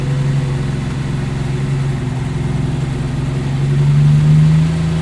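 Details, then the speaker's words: Stone-cold Lamborghini Miura V12, no choke, after a cold start held around 1500 rpm to warm through without blipping the throttle; deep, even, smooth raised warm-up idle with a brief gentle lift in revs, healthy. "okay it took two or three bites of the cherry which can happen with these engines because they say they effectively have no choke on them but um engine bursts into life"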